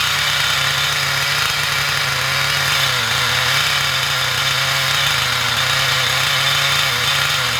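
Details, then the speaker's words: XTM Monster MT nitro truck, rebuilt with old parts, needles set flush without base setting: small nitro engine screams at a steady high pitch, very loud with slight wavering; runs all right but dislikes being revved, sounds rough and untuned. "seems to run. All right. Loud though. Don't like being revved. The engine itself is extremely loud."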